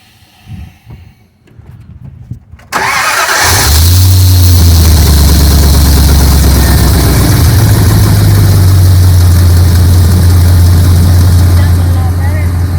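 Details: Jeep with salvage-yard 4.7 V8 that had poor cold starts, after fitting higher-voltage aftermarket ignition coils: one short crank, catches straight away and settles into a steady even idle with no misfires.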